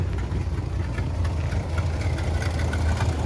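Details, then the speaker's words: Dodge 440 big-block V8 in Travco L'Esprit motorhome, sat nearly 20 years, after Italian tune at operating temperature: deep fairly even warm idle with slight lope, much smoother than before, still faint unburnt-gas smell. "and as the temperature went up i'm sure you guys can hear how the idol has improved"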